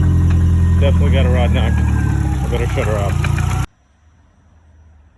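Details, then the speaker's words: 2007 Subaru Impreza WRX, hard to start, intake cam position sensor circuit code: slight steady knock over rough idle, heavier on acceleration, before engine teardown. "so this is what she sounds like i got her to run but there's a slight knock and it gets heavier once you accelerate but you can hear it"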